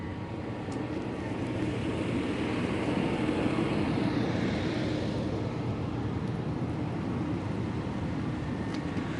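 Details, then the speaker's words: Hoveround Teknique HD6 heavy-duty power wheelchair, 180 hours of use, driving outdoors: soft, steady hum from both heavy-duty motors under outdoor noise, no grinding or clicking; normal for these motors. "And this one here, because the motors are heavy duty, you will hear a slight hum in both motors. That's what you want to hear because these are the heavy duty motors."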